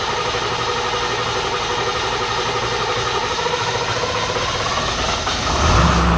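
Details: 7.3 diesel: long, steady cranking churn that drags on for several seconds before the engine finally catches. Hard starting attributed to fuel issues.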